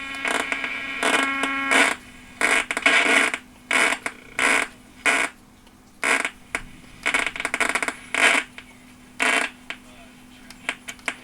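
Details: 1976 Lloyds Monteverdi stereo: irregular harsh crackle and static bursts over a faint hum while tuning AM only; FM is fine. The owner wonders whether it is the tuning capacitor, and the unit shows moisture exposure. AM tuning crackle.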